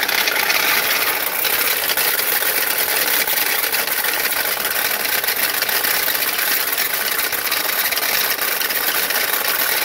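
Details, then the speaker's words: 2013 Chrysler 200, about 145k miles, possibly 2.4 engine, idling: loud metallic rattle and harsh scraping from the alternator pulley; failing alternator pulley that risks coming off. "let me turn that off before that pulley on that alternator decide to come off fall off or even fly off"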